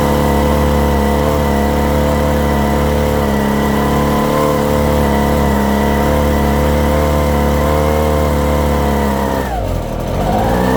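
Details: Echo PB-250 two-stroke blower (50:1 fuel): it buzzes at high speed while the throttle is held, and the revs sag hard on release. It won't idle; owner suspects the fuel mixture screws, with the low-speed mixture too lean.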